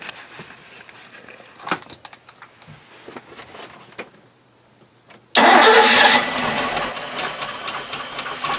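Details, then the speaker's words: Boat V8 engine with Cobra outdrive, newly got running and started with the key, still needing a lower unit: a few quiet clicks, then it catches immediately and settles into a smooth, even, super-quiet idle; normal start and idle. "I got it running. I'm going to start it up for you, let you see what it sounds like. Super quiet, starts up immediately, but I still need a lower unit."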